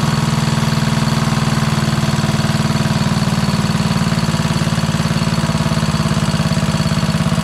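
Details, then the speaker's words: Craftsman LT2000 lawn tractor repowered with Kohler Courage single-cylinder engine, run to heat up and check an oil leak: steady idle thump with light even ticking at engine speed; lifter noise heard. "so cool so you did hear there are some uh lifter noises"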